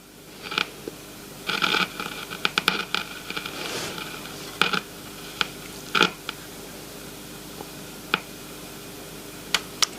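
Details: AWA B15 valve radio chassis, powered up with no speaker connected: irregular sharp crackles and pops come and go at random. Suspected intermittent connection, possibly a loose valve or silver mica disease, not confirmed.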